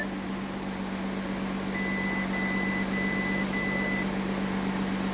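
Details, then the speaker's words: Audi A7 with a replacement engine on its first start, before coolant is filled: an even, steady idle hum with a faint regular warning beep, no knocks or misfires; normal idle. "sounds good sounds good sounds good little Rev cool"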